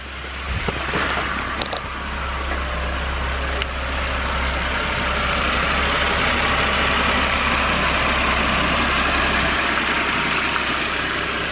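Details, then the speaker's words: BMW N52 engine after long rough idle with revs jumping, following a final fix: even steady idle, low drone, regular pulse about four per second, no hunting; engine idling normally. "honestly sounds perfect now"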